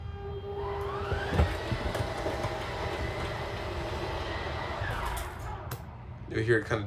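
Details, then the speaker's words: 2023 Salem Cruise Lite 273QBXL travel trailer slide-out operated by its switch, moved partway rather than fully: electric motor hum rises to a steady whine, holds evenly for several seconds, then winds down as the slide stops; normal operation. "I'm just going to move this in a little bit right now I'm not going to do it fully just so I can kind of show you what it sounds like when it play extends"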